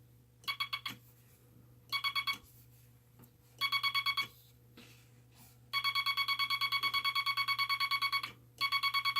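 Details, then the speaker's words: Bug with the dot stabilizer back on and the dot contact readjusted: bursts of crisp, evenly spaced tone dots at about three per second, clean with no chatter; the dot contact is stable. "Okay, that's with the dot stabilizer on."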